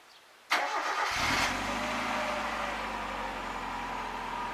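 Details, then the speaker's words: Mazda Miata, first start after Seafoam and an oil change: starts cleanly and settles to a smooth, quiet idle with no lifter tick. "you call us how it sounds it sounds really good nice and quiet no more lifts or kick"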